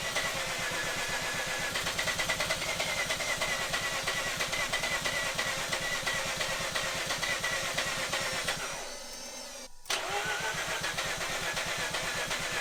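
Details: Mazda RX-8 half-bridge-ported Renesis rotary, cranking on the stock ECU after the Adaptronic was pulled for a no-start: fast, even starter churn about three pulses a second, short pause, then cranking again; still not firing.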